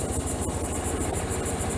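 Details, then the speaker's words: 2006 Suzuki Burgman 400 scooter after replacing suspected faulty starter relay for a no-start problem: starts with throttle, steady even idle with smooth regular beat, no misses or knocks; healthy, everything works. "put your battery cable back on shut your door turn your key on pull the throttle starter right up everything works good"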